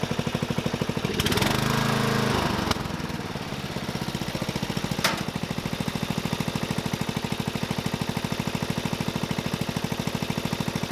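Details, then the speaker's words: Murray 12.5 hp 40-inch-cut riding mower that had stopped running, after fitting a new carburetor and air filter: rough start, then steady even thump around 2.5 beats per second; running good. "she's running good"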